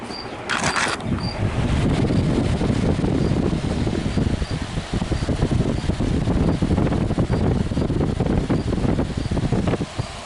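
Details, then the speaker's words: Vintage hassock fan after cleaning and new motor install, with the shaft rubbing slightly on the upper support: even low whirring hum, steady with no rattle or scraping; normal running. "[Applause] so for now it's working again"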